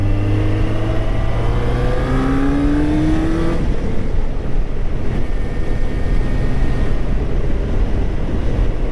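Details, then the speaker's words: 2004 Kawasaki ZZR 600 on test ride after carb cleaning; first gear shifts poorly without upward pressure; note climbs cleanly through each gear and pulls again, no stumbles or misses; normal acceleration. "But she sounds good. She is running good."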